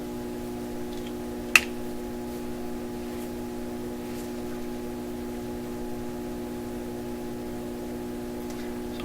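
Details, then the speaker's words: 1928 RCA Victor Model 28V radio with newly replaced capacitors, switched on at restricted power before alignment with a dummy tube: a low steady hum from the speaker with no program playing. The cause of the hum is not yet known. "okay we'll start this up speaker on already you're a bit of a hum"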